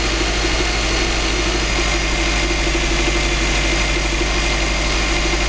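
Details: 2005 Subaru Legacy GT first start after a DIY engine rebuild: steady, even idle with a smooth low rumble and no knocks, misses or ticking; no leaks seen, some exhaust smoke from burning debris expected. Normal idle.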